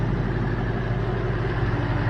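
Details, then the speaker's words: New replacement Coyote V8 at idle, early in its 1000-mile break-in, hood open with the engine cover off: smooth idle with a noisy direct-injection injector tick, otherwise quiet as a mouse, with no knocks or rattles; normal. "I can hear the direct-injection it's really noisy it's less noisy with the cover in there and the hood down but as far as noises quiet as a mouse just like when I bought it quiet as a mouse"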